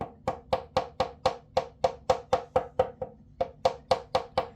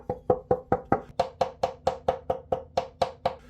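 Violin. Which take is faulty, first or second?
first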